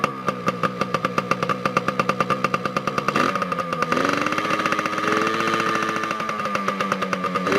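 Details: 2002 Yamaha PW80 two-stroke, first cold start after over 2 years, after carb clean and fresh gas. Crisp, regular popping at idle, then a clean rev that drops back smoothly; a healthy, peppy engine.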